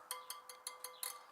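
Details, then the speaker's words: Suzuki DR650 wheel spokes checked by tapping after tightening without a torque wrench, following a new tire fitted for headshake at 70 mph: quick light taps, about five a second, each ringing with a clear ping; tension uncertain. "pinging a little bit still not thinking enough like a tuning an instrument hahaha"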